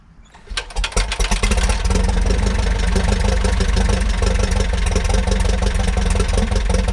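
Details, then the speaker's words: 1941 Piper J5 with a Continental C85 engine, dormant about 30 years since 1995, started on day two with no primer and mags on both: catches after a few cranking pulses, then settles into a strong, steady drone with even firing. Healthy idle. "So, I went and started this engine and uh I don't regret it yet. Uh but uh the uh it sounded good."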